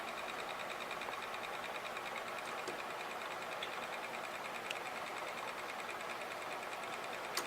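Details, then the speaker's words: Lifter gravity-storage machine's small wheel spinning freely, unloaded, about 590 rpm before a magnet light is added: steady light whir with a faint tick about twice a second, even; normal free-spinning wheel. "you can see my little wheel is really spinning let's see how fast it's going"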